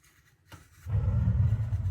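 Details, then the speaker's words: Gas hot water tank after anode rod replacement, relighting: near silence, soft whoomp as the main burner lights after switching from pilot to on, then a steady low roaring flame; clean normal ignition. "Now we switch over to on. I can still hear the flame in there."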